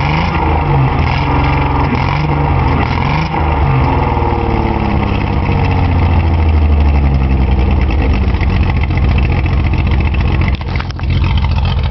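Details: Datsun 280Z with one fuel injector stuck open flooding its cylinder: deep, lumpy, uneven running with an irregular low stumble under the exhaust note.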